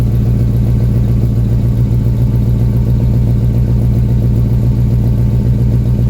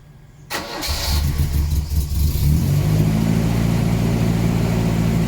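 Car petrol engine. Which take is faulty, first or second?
second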